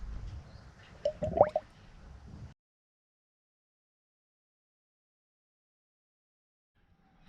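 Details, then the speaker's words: 2nd-gen Toyota 4Runner after power steering pump replacement, bleeding system with ATF, wheel turned lock to lock, sound at reservoir. Soft gurgles and bubbly pops about a second then quiet; air purging from power steering fluid. "And make sure you're turning the wheels all the way to the stops. But you can hear the little bubbles"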